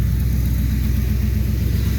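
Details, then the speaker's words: 2009 Ford F350 with 5.4 V8 at idle after startup: loud, deep throbbing, booming exhaust pulse with nothing muffling it; exhaust running with the muffler missing. "So I'll let you guys get a little snapshot of what it sounds like when she's running with no muffler."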